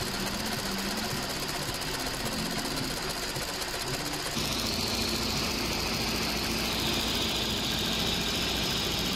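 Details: 2007 VW Golf GT 1.4 TSI twin-charged (BLG) engine idling after repairing the supercharger clutch and water pump assembly: even idle with light valvetrain ticking and no more of the clattering heard before. Smooth and healthy.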